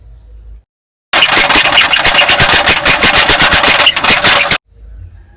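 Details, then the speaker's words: Toyota Avanza engine recorded by the owner: harsh, rough running with a heavy regular knock about three times a second. A spun bearing is suspected, possibly related to oil sludge, but not confirmed. "Nah itu kemarin ee kirim video itu suaranya kan kasar banget dan kita pastikan kemungkinan dari metalnya itu gulung"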